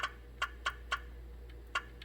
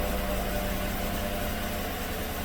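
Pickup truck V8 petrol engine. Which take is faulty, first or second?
second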